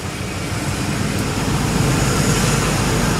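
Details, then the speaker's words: 2005 Ford Expedition after one year of owner repairs, fully hot after a short drive: steady even low idle rumble, very quiet, no clicks, ticks or knocks where it used to click and knock; normal warm idle. "We're at full hot now after that little drive. And you can hear, you didn't know what it was before, but this thing is very quiet now."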